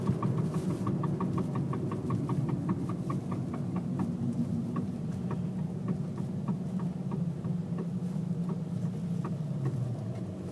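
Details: 2005.5 VW Jetta TDI while decelerating: a steady run of light knocks over road rumble spaces out as it slows. The clunking is speed-dependent with vibration and stops with a little throttle. It began in reverse on full lock; the owner suspects a CV joint.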